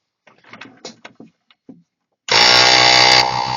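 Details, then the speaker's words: Task Force 2-gallon air compressor, first motor start after fitting new brushes because it stopped pumping up; quiet handling sounds, then the motor kicks in and runs up to a loud, steady, even drone; starts and runs normally after the brush repair. "hey look at that it works woohoo"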